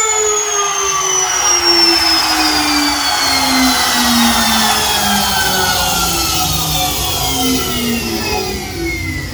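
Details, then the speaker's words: Homemade 3x4 CNC router with a trimmer-type, fan-cooled router spindle after the spindle fix: smooth, steady high-pitched whine, only slight pitch drift, no rattles; healthy. "இப்போ வந்து பார்த்திங்கன்னா தெரியும், இந்த motor வந்து பார்த்திங்கன்னா நல்லாவே sound வந்து பார்த்திங்கன்னா வருது."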